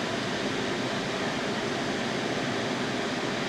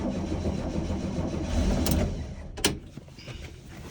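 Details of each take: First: Baja Bug 1776cc air-cooled VW flat-four after engine cleanup, brand new carburetor fitted untouched out of the box: even, steady idle with no misses, knocks or surging; normal idle. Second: Baja Bug with poorly running 1776cc air-cooled VW flat-four, ad claimed professionally tuned: cranks and catches, then stumbles with loose irregular clatter and lumpy firing; broken rocker arm, valves way off.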